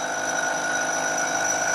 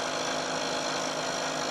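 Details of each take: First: can hear more and more vibration and you can imagine that that gets worse and worse as the part gets longer and longer Second: Milling machine cut on a long thin part sandwiched between two stiffening pieces in the vise: steady even hiss with no chatter, much quieter than the unsupported cut, better surface finish.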